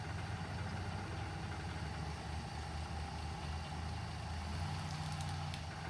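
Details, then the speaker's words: 1959 Plymouth Suburban wagon with 75,000 original miles, long-stored barn find, idling after its first start while the amp idiot light blinks then goes out. Low, even idle with a steady deep thrum and no knocks or misses; normal idle. "t's see if we get the move that's so quiet i can't hear it run i think it's going to blow up"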